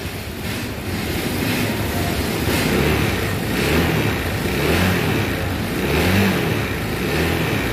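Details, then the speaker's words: New 2023 Honda Vario 160 scooter, about 2,700 km, customer complaint of rough sound and sudden stalling, under warranty claim: coarse, uneven note surging with each throttle blip about once a second; rough running, cause not confirmed. "jadi ini guys pada 160 Ini keluaran itu suara mesinnya kasar ya guys jadi sama-sama kita dengar suara ini ya"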